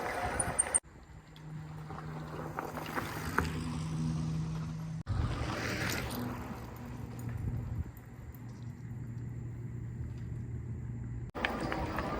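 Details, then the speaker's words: Kingbull Hunter 1000W fat-tire mountain eBike, new out of the box, climbing an uphill dirt trail: steady low hub motor hum holding pitch over wind and tyre noise, motor working but keeping its speed; normal running under load. "Yeah, the motor is working a little bit. You could hear it on this uphill trail, but it's, you know, it's keeping its speed."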